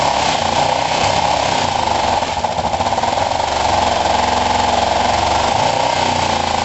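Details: Kawasaki ER-5 twin after valve clearance setting and swapping to second-hand coils: uneven stumbling beat, irregular pulses over raspy exhaust, as if firing on one cylinder; likes choke; owner suspects carbs, unconfirmed.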